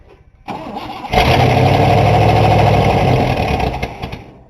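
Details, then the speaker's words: 1960 Cadillac V8, first start after brake work and a new ignition key: cranks briefly, catches, then runs rough and uneven at about four pulses a second as it nearly runs out of gas; hard start from fuel starvation. "the gas is almost up to it man them almost out of gas there we go had just enough gas to do it"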